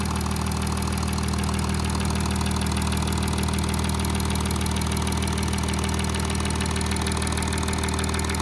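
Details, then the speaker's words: Audi A8 3.0 TDI, 6 years and 30k: fast, steady high-frequency tapping from bank 1 (cylinders 1–3) over an even diesel idle. "There's a tapping noise, high frequency tapping noise coming from this side."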